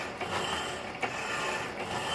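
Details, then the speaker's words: 1916 Diamond Saw Works power hacksaw, newly fitted with a 1915 1/4hp Century Model RS motor, cutting flat bar at just over 60 strokes a minute: an even mechanical whir with a stroke about every 0.75 s. It runs smoothly with no labouring or grinding. "So here we go. You can see it's running pretty smooth."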